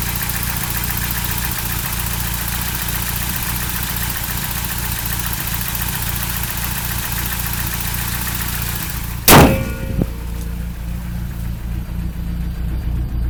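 Idle sounds lumpy and uneven with a wavering beat, then a loud sharp bang near the end; cause unknown.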